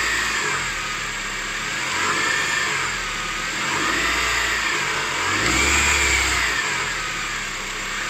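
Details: 2006 Honda CR-V K20A4 engine revving gently: whirring, wavering whine that rises and falls with speed, most pronounced at 1500 rpm; accessory drive bearing noise, cured by repairing the alternator and power steering pump and replacing the water pump.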